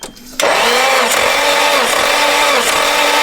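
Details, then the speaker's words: SR20 engine in a 180SX bought as "blown up", compression test on cylinder 3: starter whirs evenly with regular matching compression dips, good reading; normal cranking compression. "Dang, all right. Dang, that's good."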